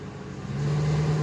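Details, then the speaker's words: 2000 Ford F250 5.4L V8 automatic 4WD in reverse: the truck holds back as if in park unless hard throttle is given, and the engine climbs and holds a low, heavy, lugging drone. The transmission is suspected; the cause is not confirmed. "and then when you go to back up it's really like you've got to really push the gas hard okay and then it stops like it's in park"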